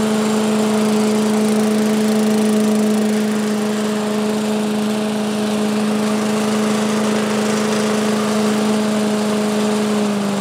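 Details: 1985 Billy Goat leaf blower, Briggs & Stratton 8 HP, after new spark plug, oil change, air filter and replacement gas tank: steady even high drone at constant speed, no sputter or surging; normal running.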